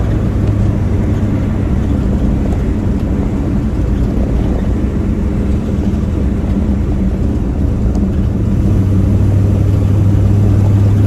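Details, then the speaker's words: 1965 Chevrolet Nova wagon V8 accelerating on the road after replacing the hesitating two-barrel Rochester with a Holley 600cfm four-barrel and Edelbrock aluminum intake. Deep rumble pulls evenly with no stumble or flat spot. Smooth acceleration, getting up to speed far better. "Already it feels pretty good. It feels a lot smoother. It feels like it's not struggling. I like it already."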